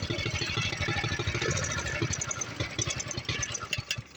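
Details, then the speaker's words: Doodle Bug mini bike, first ride after sitting about a week, with a zip tie in place of the spring: the small engine putters unevenly, fades and stumbles, then cuts out; it stalled because the tank ran out of gas. "Uh-oh. Is that a gas? Is that a gas? It's not a gas. I don't believe it. I ran it out of gas."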